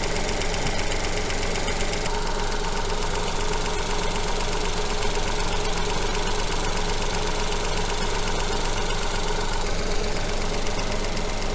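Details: Petrol engine with coil-on-plug ignition, at idle while the coil primary signal is being probed through an attenuator. Steady, even idle with a smooth low rumble and no missing beats. Normal idle.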